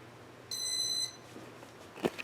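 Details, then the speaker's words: Casablanca Four Seasons ceiling fan, Intelli-touch control: sharp high electronic beep, faint clicks and a knock, dinging louder than before while the fan barely turns; control board suspected. "that tone that but those dinging sounds definitely louder than they were before"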